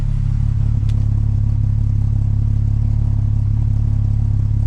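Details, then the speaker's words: MK4 12v VR6 wagon with freshly installed Techtonics 268 cams, idling: deep steady idle with a slight rhythmic dip about four times a second, a mild cam lope. "that little the little dip in there I said this this is how Miley sound when I first put the cams in"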